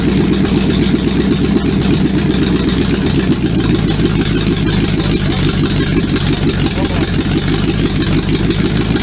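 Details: Supercharged V8 in a 1959 Vespa microcar, first-ever start attempt: fast, even firing pulses with a deep throaty drone holding steady; running strongly with no obvious misfire, normal running.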